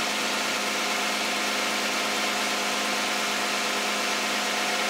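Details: 2010 Toyota Camry, 2GR-FE 3.5 V6, 152,000 miles, Mobil 1 5W-30, idling just after a cold start: even, steady idle with a busy top-end whir and no knocks, ticks or misses; healthy.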